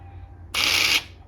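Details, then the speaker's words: 2004 Arctic Cat 400 4x4 front actuator (0502-296), repaired with a new relay and reinstalled on the ATV: switching on gives a short, crisp, high-pitched half-second whir that stops cleanly; it winds like it should. "but I can turn the switch on you can hear it wind like it should"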